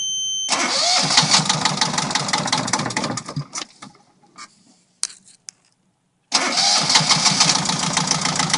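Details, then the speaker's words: Yanmar 2GM marine diesel on 1981 Nor'sea 27 after bleeding air from fuel system following winter. Catches right away, steady clattering idle, stops and restarts cleanly; running again. "That'll come later, but at least I kind of did some stuff to try to get it starting again, and I'm kind of happy to hear it running again."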